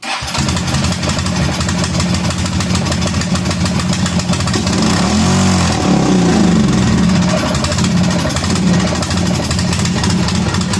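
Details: Kawasaki Prairie 400 ATV after voltage regulator replacement: uneven, stumbling single-cylinder chug that surges and sags, firing more than once but not settling; runs rough, smoking and apparently burning oil, cause unconfirmed.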